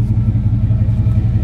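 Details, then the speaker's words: 88–95 GM fullsize truck V8 after setting ignition timing with the distributor tightened (loose distributor hold-down): deep, even exhaust lope with steady pulses, no misses or ticking, less valve stick; normal idle. "hear the exhaust tone. It sounds better. A little less valve stick."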